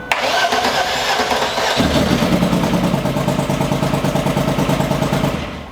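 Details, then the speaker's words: Car with an idling problem, now fitted with another replacement crank sensor. It cranks briefly, catches within two seconds and settles to a fairly steady idle. It is better, but the owner is unsure it is fixed. "Okay, so definitely better. Definitely better. Whew. Okay, so I don't know if it's fixed. I cannot say if it's fixed or not, but at least it started."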